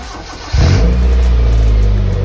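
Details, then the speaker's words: Proton Wira cold start in the morning after a fix for misfire and hard starting (computer scan and reset, all four injectors): cranks once, catches straight away, settles into a strong, even idle; check-engine light gone. "Dan lepas tu dari segi pemanduan memang enjin rasa sedap teri. Tak ada gegaran pun smooth aje. Bunyi enjin pun tak bising macam sebelum ni."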